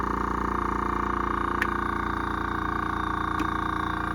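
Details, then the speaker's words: New Gaahleri GT-918 airbrush compressor running under a card table while pressure builds: a steady, fast pulsing hum with a stable tone and no rattles or knocking. It is running normally and is slightly quieter than the owner's older compressor. "Now we'll turn on the Gaahleri, and a little bit quieter. Not a lot quieter, but a little more subtle."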